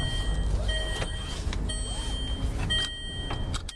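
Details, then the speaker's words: Range Rover Evoque, under 10,000 miles, driven over bumps: a few dull clunks from the front amid cabin rattles; broken front suspension coil spring, metal fragment found under the front strut. "listen out over the bumps there we go yeah so hopefully you had that sort of clunky clunky"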